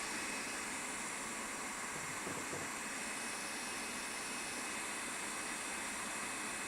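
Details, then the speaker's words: New Creality K1C 3D printer on first print, one fan kicking in: steady airy rush of a fast-spinning fan, loud but no rattle, ticking or grinding; normal cooling fan noise. "hopefully this isn't too loud but that one fan is it this one this one Fan's pretty loud when it kicks in"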